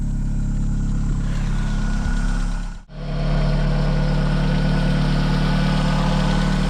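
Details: A-reg Mk2 Vauxhall Cavalier with turbocharged C20LET engine, idling after a donor V-belt alternator was fitted to replace a dead one, now charging 13.6–13.7 V: smooth deep even idle, brief dip, then steady hum; normal idle.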